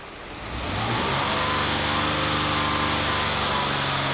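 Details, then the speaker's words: 2005 Mazda 6 3.0L V6 with lean codes P2195/P2197, restarted after clearing codes: idle wavers and dips unevenly, stumbling when short-term fuel trim ramps to 25% then drops; lean stumble at idle, later traced to a cracked cylinder head. "I don't know why it's behaving like this you can hear the motor stumble too when this drop down happens"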